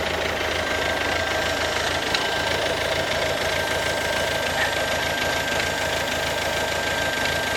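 Diesel idling with an uneven rapid ticking knock over a steady hiss, about three a second; something knocking inside, cause unclear.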